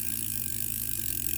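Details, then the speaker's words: Vintage Korean-made Daiwa 100X reel, about 220 g, in perfect working condition. Cranking the handle gives fine, even, steady ratcheting clicks with no grinding or catches: a normal, smooth retrieve. "The reel is in absolutely perfect working condition,"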